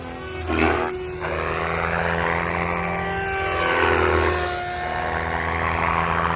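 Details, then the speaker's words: MSH Protos 380 Evo V2 helicopter with RotorTech 385mm Ultimate blades at 80% headspeed: steady rotor drone with wavering high tone rising and falling; pilot suspects a bad tail bearing. "I think I might have a bad tail bearing."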